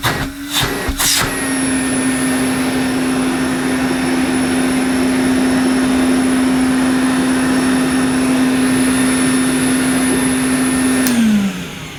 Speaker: Well, I'm pretty pleased. That sounds good. I think it sounds slightly different to an earlier Constellation, but I don't think there's much wrong with this.